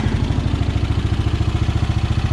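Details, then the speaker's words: Repaired Craftsman riding mower, small engine at idle after deck adjustment: quick even putter, about eleven beats a second; smooth healthy motor, brakes, transmission and battery good. "And other than that, I mean, brakes work, transmission's good, nice smooth motor on it, good battery."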